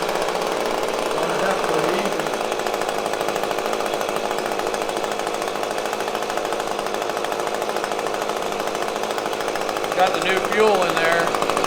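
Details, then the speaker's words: Echo PB-250LN handheld two-stroke blower after old fuel replaced with fresh mix: uneven, choppy buzz that stumbles near the end instead of climbing cleanly; still bogging when throttled up, later fixed. "okay the fuel issue was probably a major problem but that didn't solve the throttling up and the running issue with the blower"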